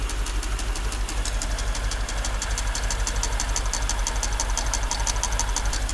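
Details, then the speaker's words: Mercedes S55 AMG at warm idle, microphone on a screwdriver against the engine near cylinders one and two: sharp regular ticking about three per second; cause not pinned down, valve cover being removed to inspect. "so yeah i don't want to run the engine too long with this sounding like that so we'll try to turn off the engine"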